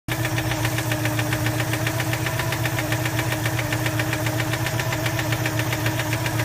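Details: 1987 Citroën 2CV Special, engine warm: a regular knock about three to four per second over the idle, which appears once warmed up and comes from inside the engine, not the tappets; cause unclear.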